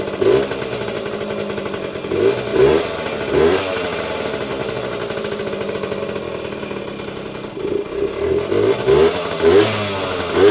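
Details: Vintage Yamaha GT80 Enduro (1977–79, exact year unknown), small two-stroke, first start after sitting unused a while, oil just changed, on choke: catches quickly, revs freely in crisp bursts, settles to steady idle, little smoke; normal running.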